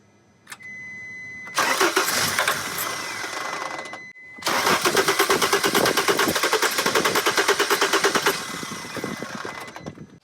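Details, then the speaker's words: T1N Sprinter diesel van inspected for sale, with black death present. A long starter grind with rapid, even cranking pulses, a short pause, then more cranking that never catches; the cause is unconfirmed. "she knew it wouldn't start before we got here right no it"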